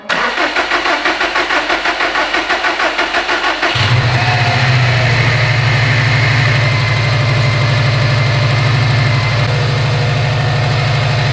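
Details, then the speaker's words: Subaru STI with a newly installed engine and a new timing belt tensioner: cranks with rhythmic pulses, then catches to a fast, uneven, rough idle. Same noise as before; owner suspects the timing belt is flopping, cause not confirmed. "this car just hates its life I don't know if you guys just heard that but it sounds like the same noise as last time but we put a new tensioner on it"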